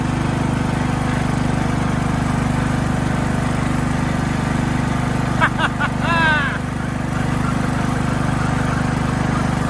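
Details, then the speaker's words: Craftsman LT2000 riding mower, single-cylinder engine smoothed out, first drive test on a battery; smooth regular thrum with no stumbles or misses while driving. Normal running. "Let's see if it drives. Got the engine smoothed out. Here we go."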